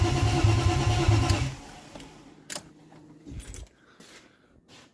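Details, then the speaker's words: BMW E36 2.8L with ZF 5-speed, just refitted: even cranking about three turns a second for 1.5 seconds, stops without firing; crank no start because fuel feed and return lines were swapped. "alright so figure out the fuel problem um a few lines were the wrong way around so feed and return were mixed up"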